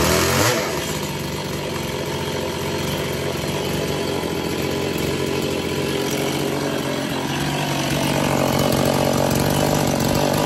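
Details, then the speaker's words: Chainsaw built as 6702 with different cylinder, intake boot, piston and carb, modified side cover: high buzzy idle with uneven wavering pitch and rattly undertone; owner suspects worn crank bearings; running rough. "I'll start it up I'll show you as it runs doesn't see it very well but it does run I think the bearing crimp bearings might be gone"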